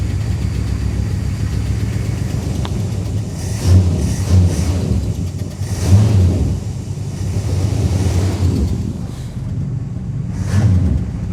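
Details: 1966 Plymouth Fury II 318 V8, first start after tune-up, fresh oil and wiring cleaned with contact cleaner: deep uneven rumble with irregular surges and dips at idle, chugging unhappily off throttle; rough running, cause unclear.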